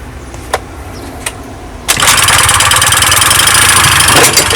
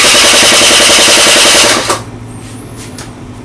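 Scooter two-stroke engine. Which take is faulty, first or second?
second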